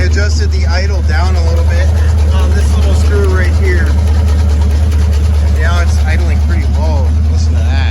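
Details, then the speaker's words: 1966 Ford Mustang coupe, 289 V8, automatic, barn-stored 46 years; running on original fuel tank and pump with new carburetor, plug wires, battery and refilled cooling system. Low, slow even V8 idle rumble under music, no misses or knocks, settled and healthy: normal idle. "But other than that, it's running pretty good for sitting for 46 years. It's pretty amazing sitting here idling."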